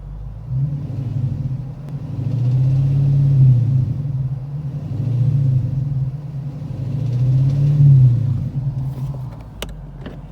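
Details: 2009 Dodge Challenger SRT8 6.1L Hemi V8 revved three times, deep rumble with a dull knock underneath; later found cylinder #8 rod bearing shot, damage minor, bearing likely never spun.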